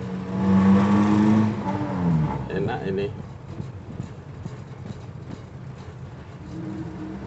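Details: Suzuki Feroza carbureted engine after carburetor setting and vacuum hose correction: a brief rev settles into a low, even idle with no misses or stumbling. It pulls smoothly from low rpm; normal idle.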